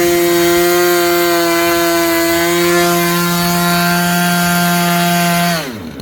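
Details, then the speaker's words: Super Tigre 90 engine in a Super Chipmunk model plane, tuned on a windy day: steady high-pitched full-throttle scream without sagging or leaning out, then a clean drop on throttle-back; owner wanted it slightly richer for the temperature, but close, normal. "i actually wanted a little bit richer at least for this temperature that's pretty good"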